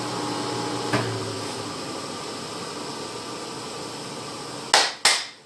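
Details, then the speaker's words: 10 HP rotary phase converter idler motor after open-motor repair with TIG welding to stop its squeal; spooling down after switch-off with a steady low hum and faint even whine, no squeal, a couple of sharp knocks near the end; sounds as when new. "that's what it sounded like when I first got it and I'm happy about that plus now it always done it worse when it turned it off so let's see if when it's spooling down it is why"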